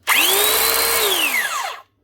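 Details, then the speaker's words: Arbortech Allsaw mortar saw that won't cut: motor whine climbs fast to a steady high pitch then winds down with a laboured, stiff tone, smell and hot air coming out. Drive belt looks to have stretched and dropped on the pulley; fixed by resetting belt and tightening the tensioner pulley. "Definitely just doesn't sound exactly right. Sounds a little bit stiff or something."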